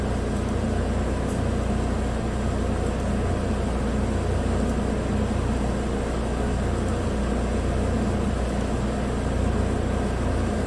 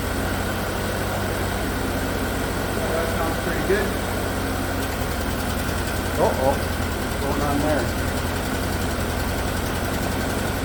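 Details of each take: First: 2017 Chevrolet Equinox 2.4 AWD, used replacement engine (130,000 km) after PCV freeze-up blew rear main seal; briefly misfired (P0300, cyl 3/4 history) on first start, now steady even idle with no stumble: normal idle. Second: 2017 Chevrolet Equinox 2.4 AWD, used replacement engine (130,000 km) after PCV freeze-up blew the rear main seal, first start: steady idle turns uneven with stumbles, misfiring, check engine flashing, later smoothed out; code P0300.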